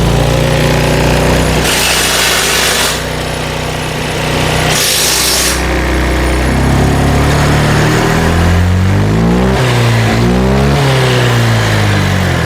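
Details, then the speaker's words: Honda Vario 125/150 scooter after fixing low-rpm hesitation and power loss traced to the injector: smooth, even note revving 1500 to 3000 rpm without stumbling; runs normally. "normal ya. Jadi udah enggak nyendat-nyendat lagi."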